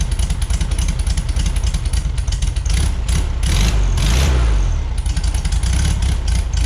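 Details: 1973 VW Beetle air-cooled flat-four, new remanufactured Bosch 034 distributor, base timing about 7.5 degrees, 30 degrees centrifugal advance at 3,500 rpm, vacuum unhooked: busy even idle swells into clean rev and settles back without stumbling; healthy.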